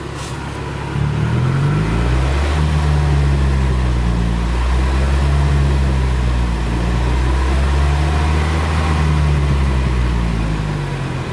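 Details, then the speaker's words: First start after engine reinstall, exhaust open after the catalytic converter with no muffler, idle around 1100 rpm: deep, loud, raw blat rising and falling with each rev, rowdy when revved hard; loud exhaust, no muffler. "It's basically open after the cat. So it's a little bit loud. I can rev it for you guys so you can hear."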